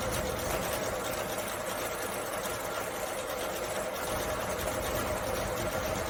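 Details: Carbureted Suzuki Samurai (SJ410/SJ413) after troubleshooting, in cooler evening air: after a couple of pedal pumps it catches and keeps running at a busy, fairly even idle with no standout misses. Running again. Normal idle.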